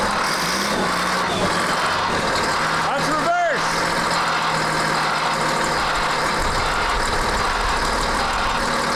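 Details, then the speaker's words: CAT 3306 diesel just swapped into a 972G payloader, which still has wiring issues: steady idle with a clean, even drone and no knock or rattle, plus a brief whistle; sounds really good. "yeah it sounds good it sounds really good"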